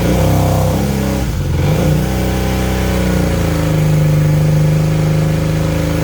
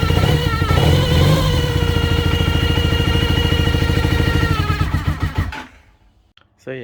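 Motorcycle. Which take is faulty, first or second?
second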